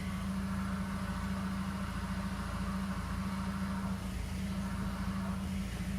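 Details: Ford Focus idling: steady low whirring hum and faint rattle when the clutch pedal is pressed, likely from the clutch release/actuator; clutch replacement planned.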